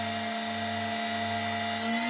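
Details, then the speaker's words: HSD 400 Hz CNC router spindle on an Ecogoo 9100 VFD, stepped down to 12,000 rpm; smooth, constant whine near 200 Hz with clean higher tones and no roughness, normal running. "12,000 RPM."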